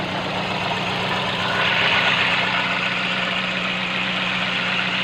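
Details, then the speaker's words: Petrol engine idling unevenly with a slightly lumpy beat and shaking from the exhaust: misfire from one cylinder whose spark plug isn't working, to be located by removing each coil's power cable. "hello and welcome when you see making shaking running from the exhaust that means there is a skist fire that means there is a misfire all of your plugs is not working"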